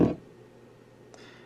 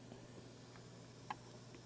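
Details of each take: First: TEA2025B stereo amplifier IC on socket board, about 45 dB gain, connected to speaker; loud blurting burst, faint hum and small pop; unstable amplifier, suspected socket-board instability or wiring error, not confirmed. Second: TEA2025B stereo amplifier IC, inputs shorted to ground at about 45 dB gain: only a faint even hiss over a low steady hum, quieter than expected; low amplifier noise floor.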